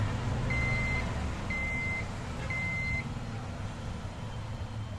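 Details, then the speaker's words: Desktop PC long unused, powered on with the RAM removed: three long high beeps, about half a second each, one per second over steady fan hum, no-memory POST code; removal lets the system reset its settings before reseating RAM. "System on process ஆகும்போது RAM இல்லைன்றதை அந்த system உணர்ந்து மறுபடியும் அதனுடைய செட்டிங்கை வந்து reset பண்ணும்."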